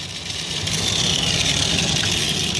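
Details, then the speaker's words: Stomper 4x4 toy, formerly non-running, revived by tapping and rocking it without removing the engine compartment: small motor whirs with a steady high-pitched hum and light rattle, spinning freely; normal running. "I was a lot of grip when it fired up he's coming to life boom he's alive he's alive"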